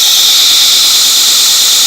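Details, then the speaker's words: 2x72 inch belt grinder driven by a salvaged treadmill motor, speed set to 6: loud steady high-pitched hiss and whine of the belt at speed, no slap or knock, tracking well; normal running. "I hit 6 and you can hear it wing up there. Just moving along."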